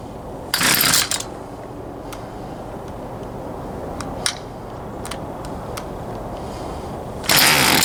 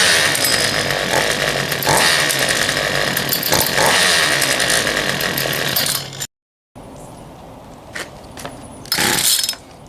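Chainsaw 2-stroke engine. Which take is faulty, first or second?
first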